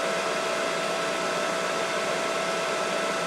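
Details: Mikini 1610L with replacement inverter-duty AC motor on Hitachi VFD at full speed, 120 Hz (about 5200–5500 rpm): smooth even rushing whoosh with faint steady whine, no knocks or rubbing; normal noise from the motor's top cooling fan.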